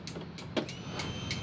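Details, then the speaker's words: Motorcycle (Spacy) fuel pump tested on the bike before final assembly: at ignition-on come a few light clicks, then a faint thin electric hum as the pump primes normally, showing it was installed correctly. "ini mengeluarkan suara. Itu berarti pemasangannya sudah benar."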